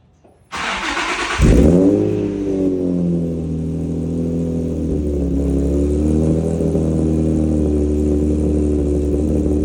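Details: Infiniti G35 first start after PPE long-tube headers and Motordyne Shockwave catback install: brief crank, then smooth steady deep exhaust note with clean rev blips; normal start and revving.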